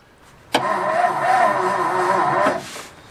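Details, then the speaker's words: 1954 Ford Crestline Skyliner first start attempt, accelerator pump crunchy: about two seconds of sluggish cranking near four turns a second that never catches; slow cranking, owner suspects weak battery. "Think my battery's going down. could get it running off of the bowl, I don't think we would get any accelerator pump. That accelerator's crunchy. And the battery does not sound happy."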